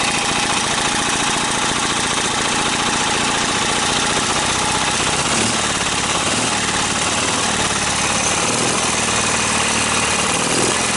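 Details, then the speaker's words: Briggs & Stratton opposed-twin engine with dual carburetors and dual exhaust, both chokes pulled: runs hard but ragged, with exhaust popping and spitting back through the carburetor. Owner suspects something wrong with the flywheel. "hear the exhaust coming up through the carburetor not good"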